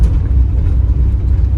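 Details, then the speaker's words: 1975 Jeep Wagoneer revived after nearly a decade sitting, warmed up, refuelled after running out of gas, on a longer road cruise: low even engine rumble, no misses or stumbles; running smoothly. "Seems to be running pretty smooth now."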